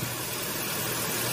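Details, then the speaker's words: 2015 Mazda 3 with a newly installed A/C compressor, engine running, after vacuuming and charging about 400 g of refrigerant; pressures good. Smooth idle with an even hiss and no clutch rattle. The compressor is quiet, unlike the old one, which made noise. "ما في اي صوت صوت صوت زين مو بنفس القديم القديم كان في صوت"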